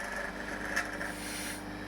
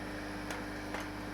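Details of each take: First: Vevor vacuum pump on a home-made vacuum dryer, after about 12–14 hours of continuous running. A steady drone carries a fast, uneven rattle at deep vacuum, apparently from the pump side; the owner suspects the vanes are bouncing in their slots. Venting air in stops the rattle. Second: Home-made vacuum dryer pump: rattling stops once a bit of air is vented into the chamber, leaving a quiet even hum with faint ticks; pump running normally.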